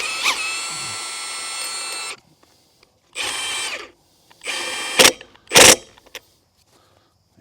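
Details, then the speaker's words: Milwaukee M18 FUEL Gen 3 1/2" high torque impact wrench, 5 Ah battery, removing a previously troublesome lug nut: rapid high-pitched hammering in bursts, one long run then short hits, nut breaking free quickly; working properly. "that's fast all right so far I am very impressed with this right here"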